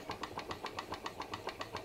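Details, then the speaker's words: PM Research glass Stirling engine (Solar Engine #7) turning a model Baker fan: soft even ticking about six beats per second, steady and unhurried, slowed right down under load yet still working; normal running under load. "sounds like an engine under load working and um i reckon that's pretty cool for a sterling engine actually i reckon that's really cool for a sterling engine"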